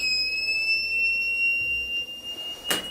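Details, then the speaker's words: Voltage inverter powered on: a steady high-pitched beep at switch-on that then stops; output found shorted, probably burned MOSFETs in the first-stage power circuit. "Olha esse inversor aqui ó e ele ele automaticamente quando eu ligo ele apita e depois ele para o apito né é uma característica É um tipo né de defeito"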